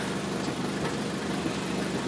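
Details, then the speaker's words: 2003 Toyota Corolla, P0301: idle stumbles with irregular, lumpy beat; after swapping ignition coils 1 and 3 the misfire stays on cylinder one, so not the coil, spark plug next. "So Misfire still in number one, so it's not the ignition coil."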